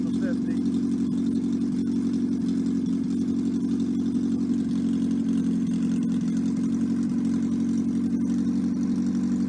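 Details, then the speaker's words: 1954 MG TF four-cylinder on a stand, no muffler, no coolant, run only briefly. Loud, steady, even beat with no knocking or ticking. Compression 162/157/157/156, and it is judged healthy with no rebuild needed. "i'm going to run it for you for a few minutes let you hear it run does not have an exhaust muffler so it's a little loud"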